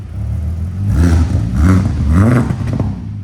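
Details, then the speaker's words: Fully rebuilt VW GTI VR6 with new exhaust; three quick throttle blips, deep note rising and falling smoothly, no rattles or leaks. Normal exhaust note revving. "yeah sounds good"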